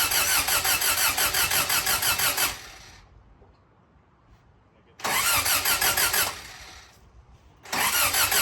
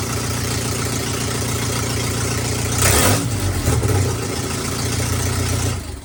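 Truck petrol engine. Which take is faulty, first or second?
first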